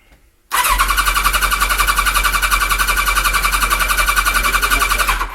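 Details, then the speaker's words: Kawasaki ZZR1100 (ZX-11) after fitting an Ignitech standalone programmable ignition; cranks but will not start, steady fast starter whirr at about four compressions a second for five seconds with no firing, some choke applied. "Don't want to give it a bit more choke. No, that's fine. It's told us it's not going to run."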